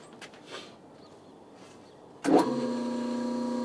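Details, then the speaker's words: Newly acquired Bridgeport mill run on a phase converter with the speed range knob in neutral: the motor kicks on and spins up to a steady, smooth hum with no knocking or grinding, turning freely with no load. "on the phase converter sure sounds like that motor is turning free huh"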